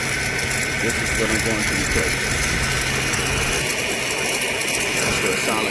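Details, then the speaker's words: 2009 Mercedes-Benz S550 4MATIC W221 at idle; a light chirping squeak rides steadily over the running engine, traced to a worn upper idler pulley that is then replaced. "that's what you can hear a little squeaky noise chirping kind of open it up right"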